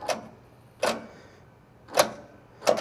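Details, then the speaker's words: Massey Ferguson 245 tractor in neutral, no-start: four sharp single clicks under a second apart with no cranking; owner suspects starter, low voltage, something hung up or solenoid, wiring rough. "Getting a hard click. Just showing me that I have an issue with my starter. Either not getting the right voltage, something hung up, a solenoid."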